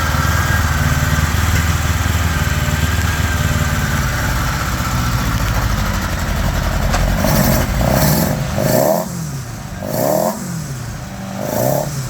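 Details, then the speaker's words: 1975 Honda GL1000 Gold Wing flat-four, cold on choke, after water pump reinstall with new gaskets and O-rings: steady slightly high idle with light throttle blips, smooth, no coolant leak, much less smoke. ">> That sounds pretty good right there. Idling a bit high, but the choke's still on. No leaking. Much less smoke."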